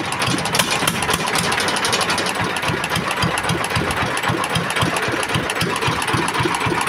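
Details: S1125 single-cylinder diesel, which knocked loudly after running out of oil and being refilled, now repaired and idling: steady, even thumping at roughly four beats a second with no knock on top, oil indicator good.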